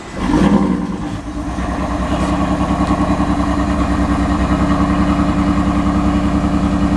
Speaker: the idol is really bad it's on cold start and it's shaky shaking right now guys i don't have an engine light